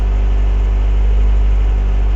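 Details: Renault 17 TS with rebuilt Weber 32 DARA 4T carburetor, cold start with automatic choke engaged: steady raised fast idle around 1500 rpm with even low rumble, after choke adjustment.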